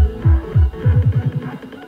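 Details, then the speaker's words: 300 W RMS subwoofer after repair: deep bass thumps play clean with no buzzing, after debris in the voice coil–magnet gap causing rubbing was cleared with compressed air and paper. "yeah sounds fine now"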